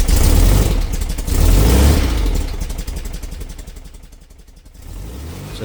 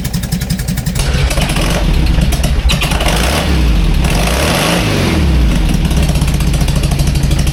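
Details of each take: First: 57-year-old VW Bus flat-four, cold start after a Vintage Speed exhaust fit and a coil replaced for a hot misfire: fast, even chuffing settles as it warms, no stumbling or misfire; exhaust seems quieter than standard. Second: 57-year-old air-cooled VW bus, flat-four after the exhaust tailpipe snapped off: deep, lumpy, loud and raw burble that blips up and settles back with the exhaust open, later fixed with a stainless Vintage Speed exhaust.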